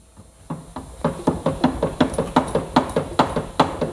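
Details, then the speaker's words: New Subaru Forester wheel bearing hand-spun in a vice runs quiet, with only light clicking about two to three times a second from the vice itself; bearing replaced because road noise was getting worse and worse. "other than the a little bit Clickety noises from the vice itself I mean if I tighten everything up I'm sorry I'm not sure why it's quick clicking like that but other than that the bearing is pretty quiet now"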